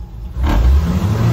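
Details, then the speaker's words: Dodge M37 vintage wrecker with upgraded engine and new MSD rev limiter set at 3,000 rpm: engine climbs hard then holds steady roar at cutoff (peak about 2,911 rpm), no popping or banging; limiter working. "it's not popping not banging so it's definitely working"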